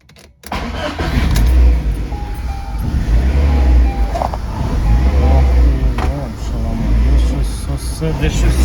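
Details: Cold VAZ 2110 with LPG kit that runs badly on petrol, check-engine light on: engine stumbles and hunts at idle with uneven lumpy beats, never settling. Misfire with unstable idle; an air leak from a cracked hose is suspected.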